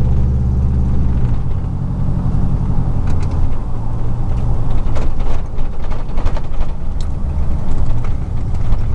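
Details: 2000 Chevy truck, 4.8 V8, four coils deliberately unplugged, driving; deep lumpy choppy uneven exhaust rumble; misfire, running on four cylinders.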